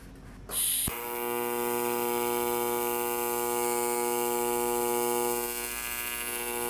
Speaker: you can see the light change in here I'm adding and I'm taking away amperage and heat so I can just put each feed down one at a time upfront exactly where I want